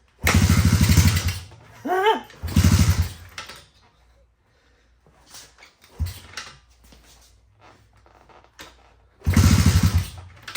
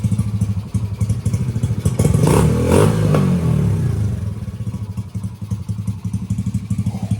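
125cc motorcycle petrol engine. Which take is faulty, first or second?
first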